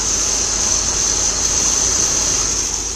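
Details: 1981 Chevrolet Corvette C3, non-original engine, at idle: a steady, piercing high whine that never changes pitch sits over a smooth idle; owner thinks the alternator is noisy. Cause suspected, not confirmed.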